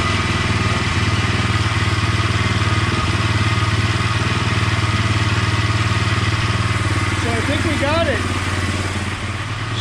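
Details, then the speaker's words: KTM 620 LC4 single-cylinder after stator replacement: steady regular idle beat with deep low thud, no misses or stumbles, running pretty good; normal idle. "sounds like it's running pretty good I'm gonna go take it for a rip right now"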